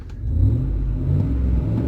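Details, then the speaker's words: 2005 Ford F150 with a new remanufactured 5.4L engine, replaced after a broken timing chain, about 18 hours in, catalytic converter off awaiting the muffler shop: deep, throaty V8 rumble rising with revs, much louder than stock, MagnaFlow-like; loud open exhaust. "It actually sounds good. It actually sounds like I got a MagnaFlow on this bad boy, but it's up under my seat."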